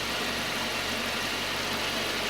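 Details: Citroën C4 2.0 with a prior engine-noise complaint, idling after its cylinder head was rebuilt at a machine shop: a steady, even idle with no knocking or tapping through the hiss. It sounds healthy and settled.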